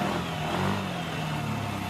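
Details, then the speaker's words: Yamaha NMAX/Aerox/Lexi VVA engine after rocker arm installation, running: smooth, steady note with no tapping or rattle from the top end; hissing due to vent hose not yet fitted. "Nah, suara mesinnya sekarang sudah halus, teman-teman."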